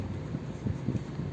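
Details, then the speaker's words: Suzuki Vitara Brezza/Baleno (2016–2018) after electric steering rack repair for "kut kut" noise and stiff steering: only low steady engine rumble as wheel turns, no clunk, knock or groan; steering now quiet. "so right now we have solved all the issues and there is no sound from the steering so as you can hear there is no sound even if we do there is no sound"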